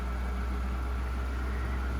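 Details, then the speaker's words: DeepCool LS720 AIO cooler, three months old: steady low buzzing drone with a rattly edge from a radiator fan at full speed, happening only when fan speed ramps up; quiet when slowed down. "the problem issue is just happen when my turn up at my computer or I turn up the F speed like a full speed when need ramping up the speed it will happen"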